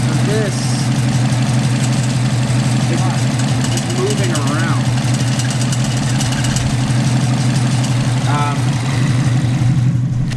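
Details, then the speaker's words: Subaru WRX idling after a blow-off valve install, not yet at full operating temperature: a light metallic rattle rides over the low, steady idle note. It comes from the loose wastegate arm and is said to be harmless. "the broth it's the wastegate arm and it's rattling"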